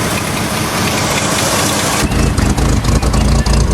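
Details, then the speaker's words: Jeep just started after trial-and-error turning of the distributor: lumpy, uneven idle with thumps and stumbles, running poorly; rough idle from ignition timing still set wrong at the distributor. "It's alive! But it's running kind of shitty."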